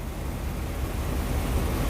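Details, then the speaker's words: V8 engine at idle, unloaded, scan tool showing misfire counts on cylinders 5, 7 and 8; deep rumble with an uneven, lumpy beat though idle holds steady; engine misfire at idle. "but this is staying pretty steady. I'm not going to load it up. But you can see you got multiple misfires."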